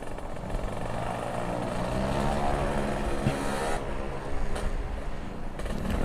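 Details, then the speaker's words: Kawasaki Ninja two-stroke ridden at night after replacing the battery: raspy revs climb and fall cleanly with strong pull, no misfire or hesitation; sound back to normal, response good. "Suaranya juga saya ngerasa udah kembali normal cuy. Suaranya udah kembali normal, udah mantap jiwa lah."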